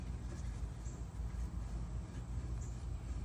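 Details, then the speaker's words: Machine after the magnet was cleaned of glue and resealed with gasket sealer: steady, low, even hum, none of the earlier crunching and grinding; owner says magnet was the problem. "Exactly. Don't hear nothing. Now, before that, you could hear the crunching noise, it was grinding and everything else."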